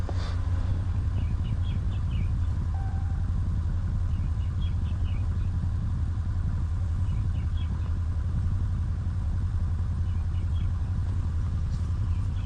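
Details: 2019 Ram 1500 that had a no-start with no power, now running after a fix: low, smooth steady idle with no ticking or stumbling, faint outside chirps; normal idle.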